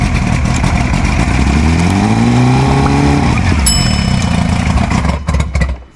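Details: V-4 OMC two-stroke outboard, first start after 5+ years of sitting, choke on: a loud, uneven run with rising and falling revs and a chattering beat before it cuts out; a rough, violent first run.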